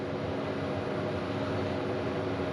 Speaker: you can hear the pump for the diesel heater slowing down the Fan's slowing down so that means the diesel heat is up to temperature and it's just starting to tick over